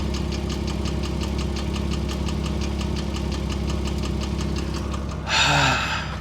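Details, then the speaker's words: Porsche Cayman S bought with one listed issue, idling: quick, even ticking at roughly five taps a second over a smooth idle, located on one side of the engine; top-end tap, cause unconfirmed. "now hopefully it quiets down a little bit here and you can hear this it's definitely coming from this side"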